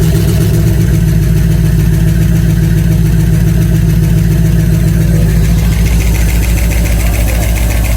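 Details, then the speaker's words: 1989 Ford E150 with 460 big block V8, about 10,000 miles on engine, after new lifters: loud idle with steady tapping three or four per second; tick persists, bottom end suspected. "all right well we put the new lifters in it started up and the noise is still there"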